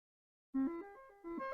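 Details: Commodore SID sound chip tested with RetroRewind diagnostic cartridge: clean stepped tones play a short tune with no crackle, buzz or dropouts; chip working properly.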